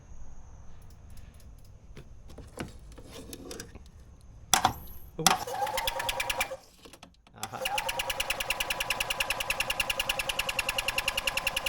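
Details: 2001 EZGO TXT gas golf cart, previously seized engine, first start after repair: quiet clicking, starter engages, engine catches into a steady, even putter of about three beats a second; normal starting and running.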